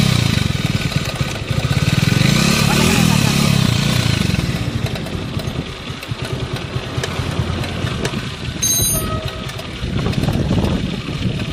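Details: Bajaj Avenger 150 Street motorcycle idling with a loose rattly chatter over its thumping beat: timing chain noise.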